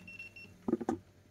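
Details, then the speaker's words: Repaired F6-error Mitsubishi IH rice cooker board drawing about 12A, roughly 1223W, apparently switches to keep-warm once temperature is reached, with readings of about 156–169 degrees: a short run of high, clear beeps, then soft clunks, normal keep-warm signal. "Hình như nó nó truyền ủ này các bạn này. Khi trong nhiệt độ trong x nó ủ nó nó đủ nhiệt ấy nó sẽ chuyển ủ đấy."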